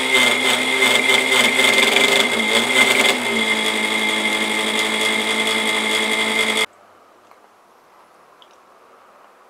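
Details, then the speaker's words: Antique New Home sewing machine after finding the speed adjustment: even motor whir with quick steady mechanical chatter before shutoff; running smoothly. "I've got it running and so now I'm just gonna have to clean the wood up and get it all nice looking for taking it"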